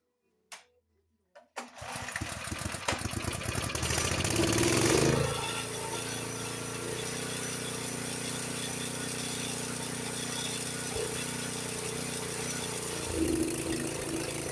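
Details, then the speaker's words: Honda HS724 snowblower engine, owner reported rough running and hard winter starts; run with choke partly closed, reproducing the fault from a choke plate stuck about half shut before adjustment; uneven, hunting, stumbling high-speed run. "See, this is what happens when you got a little bit of choke. That's the way it was running beforehand, before I adjusted the choke, because the choke plate wasn't open all the way."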